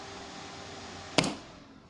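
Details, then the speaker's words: Home-built power amplifier without the 0.1 µF AC capacitor at the mains switch: one sharp loud speaker thump at switch-off, then a fading hum; classic turn-off pop despite speaker protector. "Ini kita contohkan lagi yang tidak saya kasih. Kita hidup lagi powernya. Kita matikan lagi suara jeduknya."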